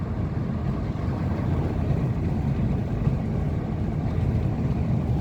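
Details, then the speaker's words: 2016 Mercedes-Benz C220d W205 test drive on rough road after replacing control arm with torn boot and lost grease, window down: only steady low road rumble, no chirping or squeaking; normal suspension on rough road. "조용하고. 지금 이제 시운전 하니까 소리가 하나도 지금 안 나요."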